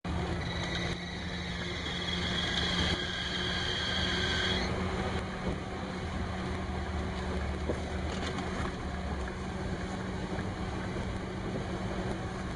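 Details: A high, steady alternator belt squeal sits over the idle for about four seconds and then drops away; the belt is slipping, and belt dressing helped only partly, so the belt tension was increased with a wrench and pry bar.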